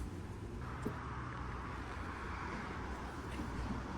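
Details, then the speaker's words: Loaded truck, diesel idling: deep steady idle with a rough, raspy exhaust note from underneath; exhaust pipe found broken, temporarily tied up with wire until repair; exhaust leak. "babam arabanın altına girdiğinde egzozun kırıldığını gördü"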